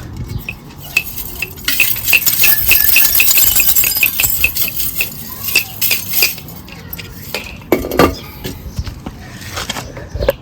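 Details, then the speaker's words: Removed catalytic converter from a 2005 R53 Mini Cooper S (supercharged; strange noise on throttle lift-off, lack of power) shaken by hand: loose, glassy clinking rattle of broken substrate pieces tumbling inside; cat looks overheated, suspected blocked. "sure bits of the cat shouldn't be uh falling out so clearly that's going to have a bit of area effect on on the running because that's um clearly down to uh to block it up"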